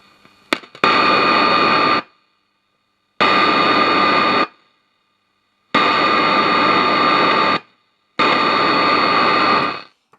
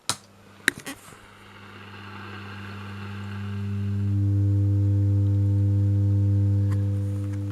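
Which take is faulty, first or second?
second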